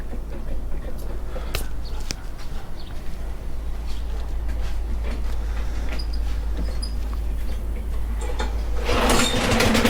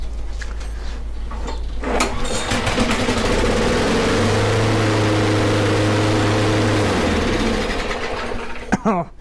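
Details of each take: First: Snapper mower with Briggs & Stratton engine after fixing a no-spark fault: quiet rumble, then the engine catches near the end and holds a steady, even drone with no misfire or stumble. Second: Briggs & Stratton mower engine after fixing a no-spark fault and throttle cable, running with the air filter removed: starts after a few pulls and races at a high, steady buzz far too fast, then the pitch drops as the throttle is pulled back; engine overspeed.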